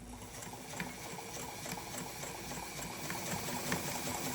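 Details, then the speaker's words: Adler 87 sewing machine doing straight stitch through two layers of canvas: light, regular needle clatter at an even pace, no binding, knocking or grinding; running smoothly, no issues. "you can hear as it's going through, it's nice and smooth. No issues at all."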